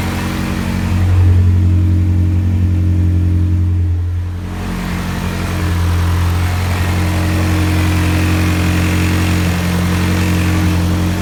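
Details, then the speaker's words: Honda CRX B17 engine after jumped timing, cold start, fuel reduced 20% for rich running: steady, even cold idle with smooth low hum and a brief rev dip, no misfire heard. "so feeling looks alright for a cold start alright well I mean I don't hear a misfire"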